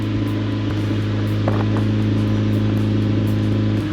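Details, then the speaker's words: 1988 Honda CRX Si with neglected oil changes, first idle while bleeding coolant and still smoking: steady low idle with a raw, slightly rasping exhaust note and faint puffing; exhaust leak from a hole in the muffler. "There's a hole in the muffler."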